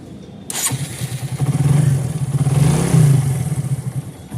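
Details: Motorcycle after repairing the cam chain tensioner, which had caused khat-khat noise after a new timing chain: engine catches first try and settles into a steady low thump, about four beats a second, no rattle; now sounds like new, healthy start and idle.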